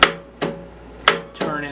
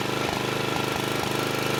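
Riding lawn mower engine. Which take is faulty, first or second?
first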